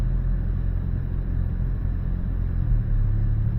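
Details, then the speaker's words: 2019 Hyundai Elantra GT 1.6 turbo with P0300 and cylinder 2/4 misfire codes, slightly warmed, park brake on, under light load: even, steady drone just above idle with no stumbles, and the rpm is not jumping. It runs smoothly. "I'm going to put this under a little bit of load. Got the park brake on, and just want to see if I can take a look at the RPM there, see if it's jumping at all, which it is not."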